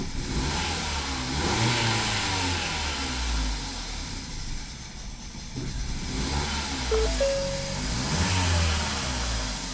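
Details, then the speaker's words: 2017 Ford Focus after owner's used DSG transmission and new dual clutch swap, won't hold idle, mass airflow reading 0 g/s: uneven, stumbling engine with irregular pops and coughs, revs surging and sagging; rough running with intake backfire. "Something's very weird. It's like backfiring and then blah."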